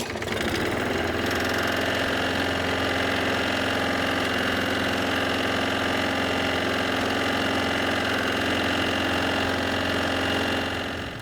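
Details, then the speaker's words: Lawn mower small engine at steady speed with an uneven knock, roughly three or four per second, plus some handle vibration. The crankshaft is bent, so it moves side to side and the blade is out of balance. "Also, you probably noticed a knocking sound coming from the engine. The vibration that I could feel in the handle was caused by the out-of-balance blade. The knocking sound was caused by the crankshaft moving side to side."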